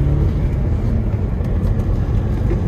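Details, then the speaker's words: 2008 Audi A4 2.0T Quattro 6-speed manual from salvage auction, check engine light on, fuel over four months old, driving: deep choppy uneven rumble from a solid misfire on one cylinder. "back from the little drive and i can confirm that uh this has a solid misfire on one of these cylinders"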